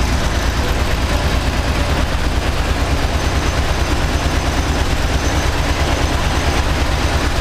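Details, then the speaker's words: 1995 GM 3.4 L SFI V6 in a Camaro idles cold with uneven pops and stumbles, a misfire that clears once warm; owner suspects a wire missed when cutting down the harness. "ee if I can show you guys how this 3.4 liter 95 SFI engine is farting and popping when it's cold. Once it warms up, it runs good, but when it's cold, it sucks, and I'd like to know why."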